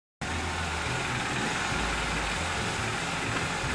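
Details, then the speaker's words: 2010 Nissan Sentra 2.0L (timing chain) at idle, uneven and lumpy with the low note dropping out now and then; skipping misfire, owner pretty sure it's a bad ignition coil, no code reader used. "you hear it running it's skipping I'm pretty sure it's a bad coil so I'm going to bring it in"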